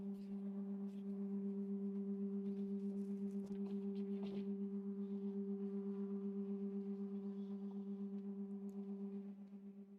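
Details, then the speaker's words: Creality K1C 3D printer running its input-shaping resonance calibration: a loud, steady low hum pulsing about four times a second. Normal but loud resonance-test noise. "it's very noisy I don't understand why it's so noisy oh probably shouldn't do that during residance"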